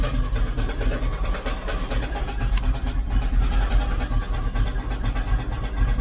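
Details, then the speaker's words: 1972 Chevrolet C10 shop truck V8, first start, 60 psi oil pressure: steady low idle with rough scraping rub from bellhousing as flexplate catches the inspection cover lip. "she's gonna start this thing one more time and uh let you hear what's going on it sounds like it's in the bell housing"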